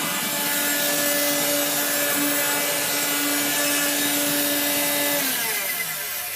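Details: 1970s blue Regina Electrikbroom 3-speed vacuum vacuuming a floor: a steady motor hum with rough, scratchy grinding over the fan roar until it spins down, from motor bearings gone dry after someone washed the motor, especially the fan.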